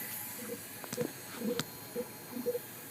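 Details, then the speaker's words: 2004 Powerstroke diesel with wavy oil rail and old-style pump: quiet hiss with soft irregular bubbling about twice a second as air leaks past high-pressure oil standpipes/dummy plugs; needs standpipes, dummy plugs, possibly a high-pressure pump. "if you can hear that it is bubbling through there so yep so it looks like this is gonna get a full treatment"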